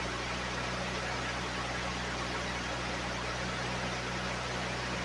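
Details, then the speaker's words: 1980 Datsun 280ZX inline-6, sitting since about 1997 and started for the first time, fuel pump heard: a steady, even idle with a smooth low hum and no knocks, misses or ticks; sounds like brand new; normal idle. "It sounds like brand new. Yeah."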